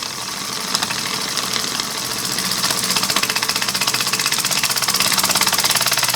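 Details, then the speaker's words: Homemade single-acting oscillating steam engine on a 3/4 pine base, air pressure raised to 10 lb: quick even chuffing speeding up steadily, no knocks or stumbles; running fast and healthy. "that's a 10 lb and she's really booking"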